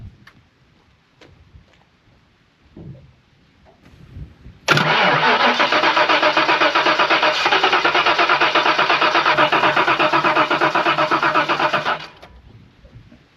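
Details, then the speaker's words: 1992 Ford Mustang LX 5.0 V8, parked for years, started with brake clean sprayed into the intake after removing the elbow: brief crank, catches instantly, then a loud, steady, even idle, purring like a kitten; normal running after start. "Car purrs like a kitten. Really does."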